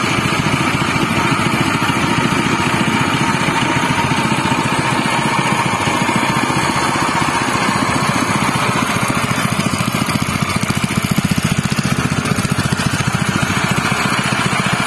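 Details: General CX200 6.5 hp, 196 cc single-cylinder air-cooled 4-stroke OHV petrol engine (pull start, 20 mm shaft): steady, even speed with an unbroken beat and no knocks or misses. It is running normally and smoothly.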